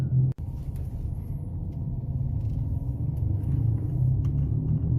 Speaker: customer states to hear a loud noise and feel a vibration mainly when turning